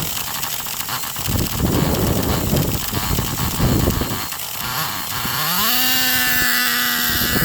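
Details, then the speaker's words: 2008 Traxxas Revo Platinum Edition 3.3 nitro RC truck, first start after 2.5 years sitting: sputters and burbles unevenly, then steady buzzing idle; running very rich, dark blue exhaust. "It's running super rich right now, but it's fired right up after 2.5 years."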